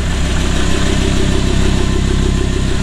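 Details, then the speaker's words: Audi R8 with a DCT gearbox, after flywheel replacement with the gearbox reinstalled: a deep, steady idle pulsing about three times a second with no rattle from the bellhousing; no more flywheel noise, normal idle. "not any sound okay no any sound from that flywheel now it's actually good everything looks good"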